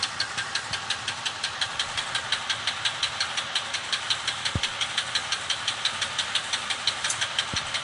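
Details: Chevy petrol engine idling with a sharp metallic knock repeating steadily, roughly three times a second. Rod knock.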